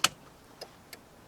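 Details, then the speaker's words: 2000 Jeep Cherokee XJ with engine running after replacing faulty turn signal switch: crisp relay ticks about every half second, normal working hazard flasher. "Hazards work."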